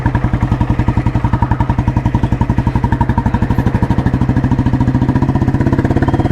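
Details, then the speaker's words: 1986 Royal Enfield Bullet restored, heavy-crank engine with Indore silencer and 3-plate clutch, running: crisp, even big-single thumping, about a dozen beats a second, steady and unbroken; healthy, sweet-running normal exhaust note. "അപ്പോൾ ഇതിൻ്റെ exhaust നോട്ടാണ് കേൾക്കുന്നത്. ഇൻഡോറാണ് silencer. Heavy ക്രാങ്കാണ് വണ്ടി."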